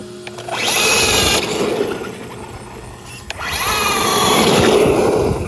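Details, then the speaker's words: Arrma Granite RC truck with cheap Amazon slipper clutch, brushless system: motor whines in two bursts with rough chattering rasp under load and heavy cogging; slipper clutch slipping, needs tightening or clutch plate may be worn. "so that sound is the and we're getting crazy amounts of cogging but it's the sound is the slipper clutch just doing that so I got to figure out how to tighten it I guess"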